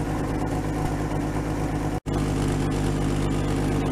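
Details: 1950 Chevy that sat outside for 21 years, idling on its fuel pump with the ignition jumped. It holds a steady low idle with an even pulse and no misses, cut off briefly once, and is purring.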